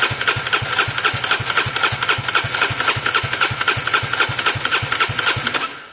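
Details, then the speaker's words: Gilera DNA 125 scooter, airbox off and spray through the carb: steady starter chug about four compressions a second, never fires; owner suspects engine trouble rather than a fuel system issue. "I wish I had some spray brake cleaner, but there's quite an idea there that this engine's gone bad. It would have started, basically."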